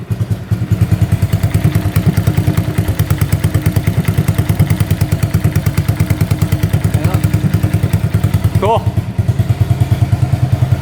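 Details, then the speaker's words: 1985 Honda ATC200S three-wheeler that had not run in over a year: it failed to fire with the choke on, then started once the choke was turned off. Even single-cylinder thump of about three beats per second, no misfires. The rusted-out pipe sounds loud. Normal idle. "Oh yeah, she fired right up. I was getting a little worried there, but the choke on. It wasn't firing. I turned the choke off and it fired."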